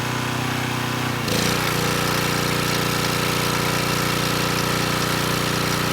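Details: Coleman Powermate Pulse 1850 generator (1996 engine), after governor speed reset to about 62 Hz: engine note steps up slightly, then holds a smooth, even drone under a space heater slightly over its 1500 W rating, 114 V maintained; normal running under load.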